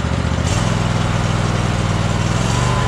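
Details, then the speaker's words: Troy-Bilt Horse twin-cylinder riding mower with no power, before repair: runs steady and even but sits at a low, flat speed, never reaching full throttle; low engine speed. "all right it sounds good but it's not at it's full H or full idle or um accelerated it's not accelerated as far as it's supposed to be"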